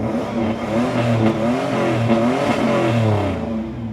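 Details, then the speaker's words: Toyota 5VZ-FE V6 (3rd-gen 4Runner/2nd-gen Tacoma) just after spark plug replacement: repeated rev blips with a smooth, deep, even exhaust note, after a brief belt squeal at startup; runs well. "All right, she sounds good. She sounds so good. Oh, she sounds good."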